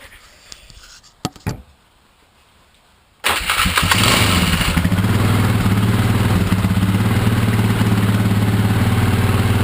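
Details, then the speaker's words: Polaris Scrambler 500 ATV with snorkel (1 1/4 inch hosing): a few clicks, then the single-cylinder engine starts and idles steadily and fine; it sputters when revved from lack of air, and the owner plans wider hosing. "Alright. So it's good at idle. Like you can hear it. Idle's just fine."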